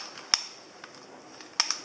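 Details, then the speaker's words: Revell Visible V8 plastic model engine turning: sharp, uneven plastic clicks and clacks as pushrods bend and pop out; excessive play where followers meet the cam makes them bind and click over the lobe. "because of the where the followers go onto the cam there is such a a large amount of play that they bind up and then click over the"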